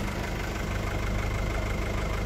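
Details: Mazda T4000 diesel truck idling after a jump start with a lithium jump pack, its two big batteries drained to about one volt by a headlight relay that latched on; even, steady low rumble, no stumbling or knocking, normal idle.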